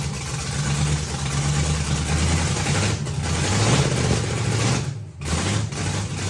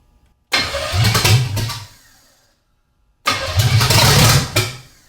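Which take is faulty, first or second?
second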